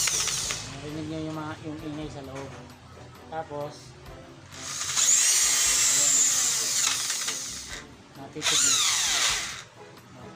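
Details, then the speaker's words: DCA mini hand drill: high whine in bursts that sags in pitch as soon as the chuck is held, so it bogs easily. Worn (pudpud) gears suspected before opening it up; not confirmed. "Pinapandar natin pero napipigilan natin. Kaya bubuksan na natin. Sa ganyang problema, minsan ang problema niyan gear, pudpud na."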